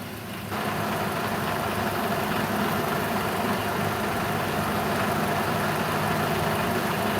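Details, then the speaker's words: Engine idling during a rebuild, with gearbox flushed with diesel and coolant system filled with distilled water; engine mounts not yet adjusted and an error code showing. Steady, fairly even idle with low rumble and no knock or miss; sounds healthy. "Ale według mnie ten silnik w miarę ładnie pracuje."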